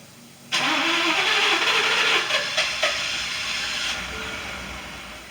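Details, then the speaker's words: 2018 Ford F-150 XLT 5.0 V8 after a fuel pump replacement for a no-start, key-cycled to prime: cranks briefly, catches at once and settles into a steady idle that slowly calms; normal start and idle. "[Music] oh starting good now [Applause] i can take this down in there and give it a little gas"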